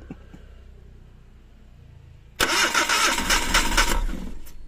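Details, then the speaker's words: Suzuki DA64 minivan (K6A engine) with low power, misfire and no acceleration, suspected bad ignition coil pack before replacement: morning cold start cranks, catches briefly with a rough uneven burst, then stalls immediately; needs accelerator pumping to start. "So ganyan kaog o starting patay agad no Hindi na tumuloy yan starting pa lang yan no patay na agad Hindi tumuloy pag-andar"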